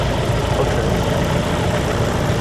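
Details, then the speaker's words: Light aircraft piston engine just started cold (primed, throttle 1/4 inch, both magnetos) and held near 1,000 rpm to warm the oil. Steady low throbbing idle with no knocks or misses: normal warm-up. "So basically, we just want to have the engine around 1,000 RPM and just let it warm up because we're going to warm up the oil."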